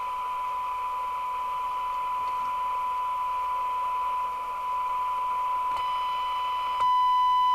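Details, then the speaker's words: Jesan KR200 UK FM CB radio on receive during retune: steady test tone near 1 kHz with a harsh, buzzy, strangled edge over hiss; receiver out of alignment, distorting the audio. "so now we need to do the receive and it sounds so strangled"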